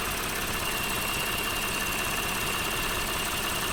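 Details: Lexus GS 300 3GR-FSE at 184,000 km (114,000 miles), warmed up, idling: steady whirr from right side, light irregular clicking from left side of engine; appeared suddenly after heavy water reached the back of the engine, cause not found.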